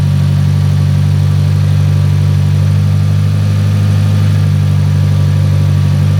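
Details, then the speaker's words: Fiat Punto GT Turbo, first run after four-year restoration, warming up at idle: steady low idle with a slightly uneven, lumpy pulse; rough idle, owner suspects the airflow meter and plans to clean it. "But as you can hear, it is a little bit lumpy. So, I am going to have to try and get to the bottom of that. It's probably going to be the airflow meter."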